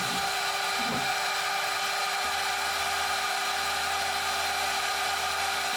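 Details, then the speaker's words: DMC2 Mini mill during a light cut, part of tests in 6061 aluminum and cold rolled steel: steady high spindle and motor fan whine holding pitch with no bogging or chatter; fan louder than the cut, spindle barely loaded. "the spindle is hardly under any load at all. In fact, the sound of the motor's fan is louder than the cutting itself."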